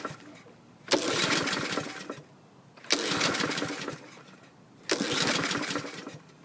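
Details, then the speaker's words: 2015 Troy-Bilt lawn mower, fuel valve on, recoil freed by oil: three pull starts about two seconds apart, each catching with a brief rough burst then dying; reported as starting but stalling. "he said this uh troy built ran the 2015 but his opinion on running versus starts is different it would start but stall that's not a running machine"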